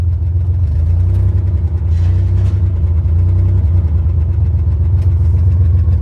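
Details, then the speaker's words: 1963 Chevy Corvair driving in second gear after years unused, with no brakes. The accelerator pedal sticks, so the engine holds a high rev and won't drop back to idle while rolling. Sticking throttle. "It sticks. So, I'm trying to not let it rev to the moon."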